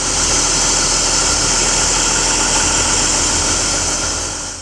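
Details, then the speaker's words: BMW E39 with M52 engine after hydraulic lifter replacement: smooth, even idle with no top-end ticking, only a faint belt-roller whistle; lifters no longer knocking, engine sounds healthy. "так запустил мотор работает тихо гидрики перестали стучать"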